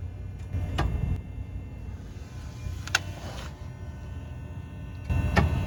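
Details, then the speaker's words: 2004 Toyota Highlander, steering wheel swung lock to lock while listening under the car: sharp, isolated clicks over a low mechanical hum; a first clue that something connected to the steering is one source of the clunking suspension noise. "don't know where the clicking noise is coming from but this is my first clue that something connected to the steering wheel is at least one of the noise sources"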